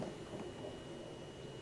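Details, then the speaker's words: 2010 Volkswagen Jetta Sportwagen 2.5 SE, heard inside the quiet cabin when the door is opened: faint steady high hum for a couple of seconds, then stops; fuel pump priming normally. "You'll hear the fuel pump."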